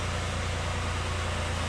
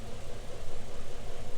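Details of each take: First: 2010 Dodge Ram 3.7 with its second replacement engine, fitted after a broken valve seat: a warm idle with a steady, deep, even hum and no miss or knock. It runs well with no misfire and no check engine light. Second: 2010 Dodge Ram 3.7 with a newly installed replacement engine, running about five minutes with the check-engine light on. A low, loping, rough idle stumbles every few beats. Continuous condensate from the tailpipe indicates a blown head gasket.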